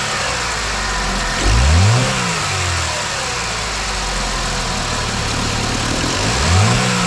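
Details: 2009 Chevy Malibu at idle with two throttle blips: light squeaky rattle from the right side of the engine on each rise; weak belt tensioner.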